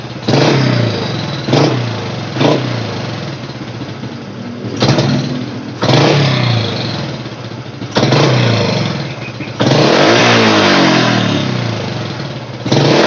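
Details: Honda Supra Fit X motorcycle, test after repair of dying on throttle, spluttering and hesitation; air screw set for highest idle: repeated sharp blips that pick up and fall back to idle without stalling, pickup lagging slightly but full at the top. Normal throttle response.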